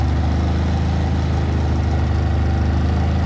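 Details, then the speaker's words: Harbor Freight Predator 3500W inverter generator, cold start at 6°F: steady quiet low hum at constant speed, no misses or hunting; smooth idle on choke. "let's start it and see how it goes it's running very quiet give it a few seconds"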